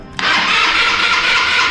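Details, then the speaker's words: Italika TRN-150 motorcycle jump-started with cables after a low battery: steady high-pitched starter whir for almost two seconds, no throttle, nothing catches; cranks but never fires, no spark. "Pues marcha, como pueden ustedes checar, sí da, no enciende, fácil. Vamos a volver a intentar."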